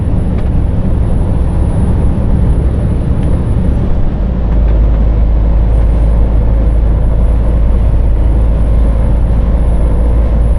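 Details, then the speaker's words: Deep, steady drone filling the truck cab under road rumble while driving loaded towards Spain; cause not yet identified, driver wants it looked at. "man, this droning, yeah, this needs to get looked at as well, because it's going to drive me up a bloody wall, this thing."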